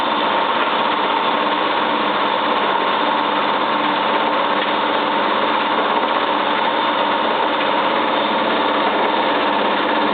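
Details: Cylinda 12002 washing machine on its last spin: loud steady roar with a fast rattling knock, as if something is stuck in the drum, yet the inspection pocket held nothing; cause unknown.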